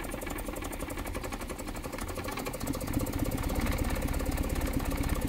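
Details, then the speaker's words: Petrol engine idling, revs picking up, with a bit of misfire and an uneven, stumbling exhaust tone; heard before a compression test to check the engine's mechanical health. "don't want it to stall. It has a bit of misfire. And even you can hear how the exhaust tone is like."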